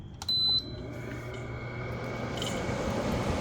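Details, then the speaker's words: 8000 BTU Frigidaire window air conditioner, after a deep clean and water wash of clogged fins, first power-up: short beep, then a low hum and airflow rush building steadily on mid then low fan, no rattle or scrape; normal. "It's blowing. We have the fan on mid, put it on low."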